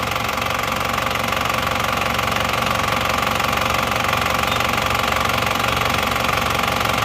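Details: Engine that used 6 liters of oil over under 2000 km, after repair including valve seals, front seal and oil filter; steady, even idle with no knocks or misses, though it still needs break-in and a tune-up.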